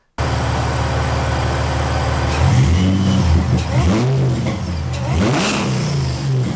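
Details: 2006 Mercedes SLK32 AMG, V_tech tune, 65mm supercharger pulley, new 92mm Hellcat throttle body, free revving in a garage: quick, crisp blips rising and falling cleanly, no hesitation or popping; very loud, sharp throttle response.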